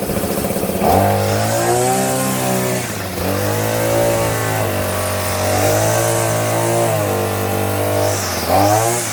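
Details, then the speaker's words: Hyper Tough 2-cycle 18-inch straight-shaft string trimmer, new, after a jammed head was freed by hand-spinning (no visible debris): it revs up and down cleanly with a steady buzz and no catching or bogging, head spinning freely. Normal running. "Okay, it started working again. Let me go finish the lady's yard right quick."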